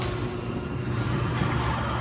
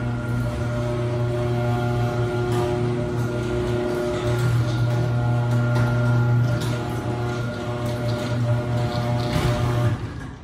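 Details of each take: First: Neighbor's garage door opener running normally: a steady, low, even hum, quiet with no vibration, a good install, unlike the buzzing, vibrating LiftMaster. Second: LiftMaster garage door opener opening/closing: heavy low buzz and vibration from the motor, installation appears fine, cause unknown; a neighbor's good motor is far quieter.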